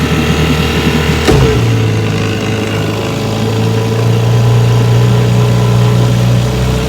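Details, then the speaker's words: 1970 Johnson 6 HP outboard, warm, after rebuilt magneto, coils, points, condensers, plug wires, cleaned carburetor and replaced spun prop hub, running under way about 11–12 mph: steady, even drone holding pitch with no misses, knocks or rattles; normal running. "So I brought it in, had the hub replaced, and she runs pretty good now."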